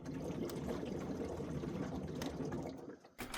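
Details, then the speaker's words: Washing machine unplugged with the lid off, air blown down the pressure switch hose in the top right corner: faint bubbling gurgle, a few pops a second, as the blockage clears; machine worked properly afterwards; blocked pressure switch hose. "We're going to blow down this, listen carefully, and you should hear that blockage being released."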